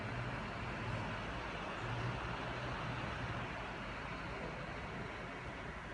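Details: An Apple MacBook Air makes a steady, even rushing whoosh with no rhythm or pitch change: the cooling fan is running loud, cause unclear.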